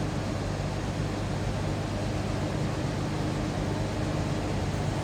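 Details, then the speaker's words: 1987 Toyota Land Cruiser 4x4 FJ60, 4.2 L inline six, 4-speed manual: steady, even low rumble heard from inside the cabin with no knocks or misses; smooth, healthy idle. "Door closes nicely, and man, does this thing run smooth."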